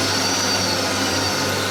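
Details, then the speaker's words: Mill labouring through a full-depth heavy, slow cut squaring a shredder drive shaft, first tried at half a mil; steady low hum under a rough gritty drone with gears chattering under load, cut unsatisfactory. "Let me take the full cut. You can still hear the gears chattering."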